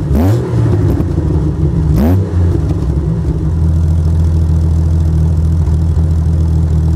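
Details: Jeep Cherokee blipped twice then idling with a loud, raspy, deep blatting drone from a big hole in the exhaust; exhaust leak.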